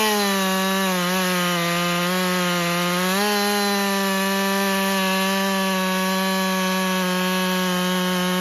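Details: Husqvarna 550 XP Mark II chainsaw that was bogging, after fresh fuel check and very wet plug found, at full operating temperature: strong, steady high note holding pitch under cutting load, dipping only briefly; healthy full-throttle cutting.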